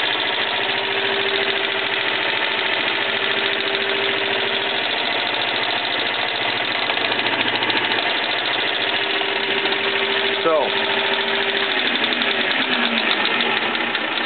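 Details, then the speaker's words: 1K62 lathe running with steady mechanical clatter and a loose repeating knock coming from its oil pump; lathe had sat unused 3–4 days and the pump wasn't pumping oil that morning, so it was primed manually. "A lot of people asking me why lathe have a knocking sound like this, and this knocking sound comes from the oil pump."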